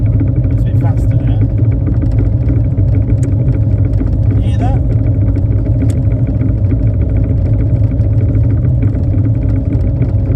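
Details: Triumph Spitfire 1500: loud steady low engine drone with rapid light ticking knock on top; engine knocking noise, cause unknown, owner asking for help.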